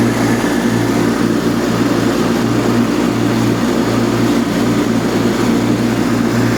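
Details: Revived Cub Cadet 782 Kohler single, with a new pulse fuel pump and cleaned carb, on a last pass through wet, tall grass while varying RPM to seat the rings: steady, even beat, no misses or knocks, pulls the heavy load cleanly.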